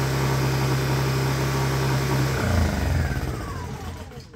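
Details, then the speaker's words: Used Honda EU1000i inverter generator, older model: smooth, even low hum with no misses or surging, then winds down; healthy, normal running. "she's a winner"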